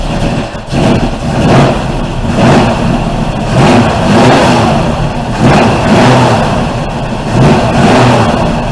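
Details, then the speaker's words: 1971 Ford Torino 351C V8 starting after carburetor replacement, vacuum lines and choke wiring redone: cranks and catches, revs surging unevenly about every two seconds before settling toward a rough idle. "smells like we're getting fuel so time to try to start it up"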